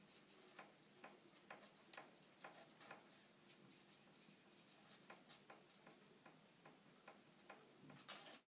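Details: Fox Float CTD 2013 rear air shock on a Specialized Stumpjumper FSR 2013 giving sharp, light clunks about twice a second as it cycles, from play in the piston bushing; can be fixed by fitting a bushing of proper thickness.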